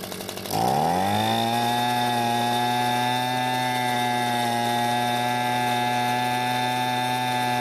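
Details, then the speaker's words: Echo two-stroke leaf blower that wouldn't start after storage, main cause a flap, primer bulb cracked: after pull-start, steady even high buzz, no stumbling or surging; carburetor still leaking fuel. Normal running. "well it seems been running just fine however it's not perfect we still need to look at the carburetor since it seems to be leaking fuel"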